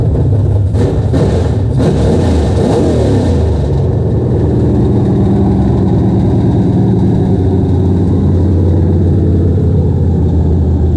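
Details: LS V8 swapped into a BMW E36, headers fitted, exhaust not yet built: cranks a few seconds, catches, then settles into a deep, steady, lumpy burble at idle with no knocks or ticks; healthy.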